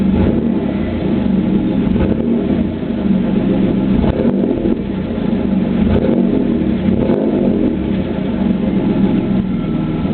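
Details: Chevrolet Camaro 3.8 V6 idling and revving with an uneven exhaust note that breaks up several times, a cylinder misfire from a bad spark plug.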